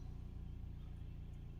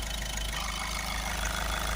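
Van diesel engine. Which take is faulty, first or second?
second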